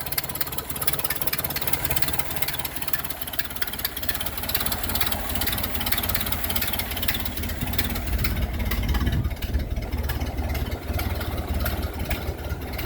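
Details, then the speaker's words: Ford Model A with newly installed engine, about 9,000 miles, idling: low uneven idle with a loose puffing tick near three per second; owner unsure whether exhaust leak or rod bearing, suspects exhaust leak; not confirmed. "but i think i got an exhaust leak is that a rod bearing or an exhaust leak but i think it's coming out of right here"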